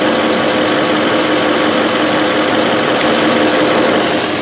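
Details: 2005 VW Touareg 4.2L V8 with lean faults and stiff brake pedal, idling: constant airy hiss over the engine note from a split brake vacuum hose between vacuum pump and booster, possibly affecting fuel trims; further leak suspected near the brake booster.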